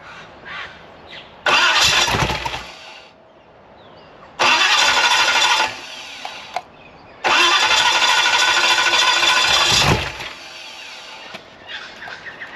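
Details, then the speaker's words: Free 327ci Chevy V8 after a cam and lifter swap, valve lash backed off to a quarter turn of clearance: three loud cranking bursts each catch briefly and die; it fires but won't keep running; it later ran at three-quarter turn clearance. "The more I backed them off, I had a quarter of a turn clearance. Still wouldn't run."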